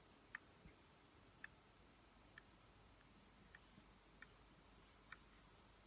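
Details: Top-spec 2017 15-inch MacBook Pro 14,3 making sharp, irregular clicks and pops about once a second; the noise is worse with the back raised at an angle and when using the trackpad, and persisted after repeated service part swaps.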